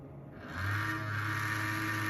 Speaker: Corsair QX120 fan, brand new, making this grinding sound. Any ideas on how to fix it?